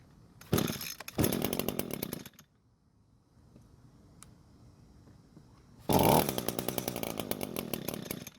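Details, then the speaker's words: Free curbside Echo two-stroke string trimmer, primer bulb and return line working. Two short high buzzing bursts fade and die within about a second each; it won't stay running, owner suspects too little fuel from the carb. "oh so the engine doesn't want to stay running and more than likely it's because there's not enough fuel coming from the carb"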